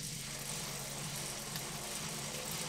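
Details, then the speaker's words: Wahoo KICKR SNAP bike trainer cruising at easy pace before speeding up: soft steady tyre hiss and low whir, relatively quiet, no knocks or grinding; normal running noise. "Okay, here we are cruising along on the KICKR SNAP. You can hear it's relatively quiet."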